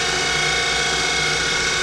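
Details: Denford Triac CNC spindle, Mach 3 conversion with Panasonic 1.5 kW servo motor, increasing speed: high gritty whirring with a ratchet-like chatter, upper bearing housing very hot; owner suspects worn spindle bearings.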